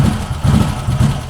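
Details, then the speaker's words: 2021 CFMOTO CFORCE 800 with plug-in fuel programmer at idle, mixture leaned via the controller: low rumble swells and sags unevenly about twice a second, a hunting lope; leaned too far, it was shut off. "So I'm going to lean it back out. You hear it? It's adjusting. It's loping right now. Sounds like I got a cam in it."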